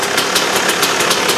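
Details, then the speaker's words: KTM two-stroke after replacing worn, holed reed valve petals that had blown fuel into the airbox: crisp, high-pitched buzz with even pulses and no stumbling; it sounds much better and runs clean. "sounds much better."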